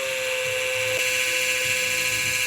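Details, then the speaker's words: Fire-damaged CF Moto Z Force 800, electric fuel pump powered directly, engine off: steady buzz with a high whine, but no fuel comes out; pump buzzing yet not priming, dry line suspected. "Hopefully this pump whirls the life and we get some fuel out of there. I mean, it's buzzing."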